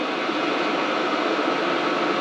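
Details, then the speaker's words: Cheap Chinese diesel heater after angling the unit for a suspected fan rub, a few minutes running: steady even fan and burner rush, no knocking or surging; internal temperature dropping to about 210–220, surprisingly quiet, running normally. "internal temps are starting to drop now to 220 uh through 10 it's pretty quiet actually i'm surprised how quiet it is"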